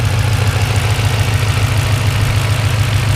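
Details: Turbocharged Ford with Turbonetics 60mm turbo kit at 5.5 lbs boost, steady idle with a deep, even knock about three or four a second, following engine speed; louder when cold, owner suspects something loose; source not yet found.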